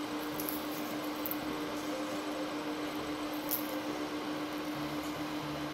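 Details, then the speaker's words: LED96 WiFi projector from AliExpress, recorded with the camera as close as possible to it to judge its loudness: a quiet, steady hum with one constant low tone and no rattle or surging; the cooling fan runs normally. "в данный момент камера стоит максимально близко к самому проектору чтобы Понять насколько он Ну гудит Да громко не громко"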